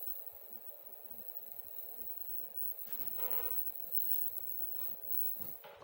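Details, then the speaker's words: CRT TV being repaired for no picture or sound, test fuse fitted, horizontal supply measuring 105 V. A faint, steady, very high-pitched flyback whine sounds over a quiet room, showing the line-output stage is running normally. "ቴሌቪዥናችን ይኸው ድምጽ እያወጣ ነው። ፍላይባክ ሲረጭ ያስታውቃል።"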